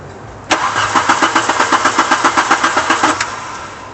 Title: Car won't start again after cut off